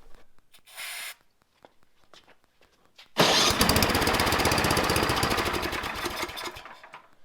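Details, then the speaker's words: Craftsman MTD snowblower with Tecumseh engine, unused two years, very cold, on electric start: starter whirs, engine fires with rapid popping for about three seconds then dies; clogged carburetor from old fuel. "so it tried to start and it died this is most definitely a clogged carburetor due to old fuel just sitting in it"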